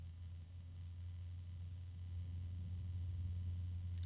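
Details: Replacement bgears b-Blaster 140 PC case fan, swapped in because the original had bad bearings: only faint, steady low hum, no ticking, rattle or buzz; very quiet and smooth.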